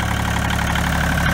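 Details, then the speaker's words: 1986 Kubota L2550 4WD diesel tractor running on a temporary 12 V electric fuel pump that replaced the failed lift pump after a crank-no-start at 9°F (first suspected gelled fuel): steady, even low diesel clatter at settled idle, no misses; normal diesel idle. "but i just started the thing up and it's running as you can hear"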